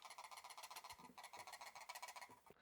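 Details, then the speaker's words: Old Razer Basilisk X Hyperspeed (V1) mouse shaken: dry plastic clatter in bursts, several clicks a second, from loose left 1 and left 2 side buttons, stops when fingers hold them; new Basilisk V3 X Hyperspeed is solid and silent. "the new one is absolutely Rock Solid and silent and the the rattling itself is actually the actual left one and left two buttons if I hold my fingers on those doesn't rattle"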